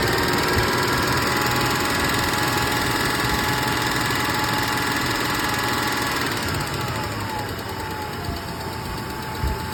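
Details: 1996 Tacoma at idle: a light, fairly regular tick about three times a second over the steady engine; the engine is ticking, cause not pinned down.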